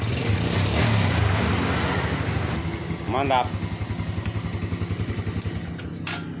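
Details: Yamaha Vega R carbureted single, kicked five times ignition off then started; after carburetor cleaning for hard cold starting, settles into an even putter about four beats a second, idling cleanly.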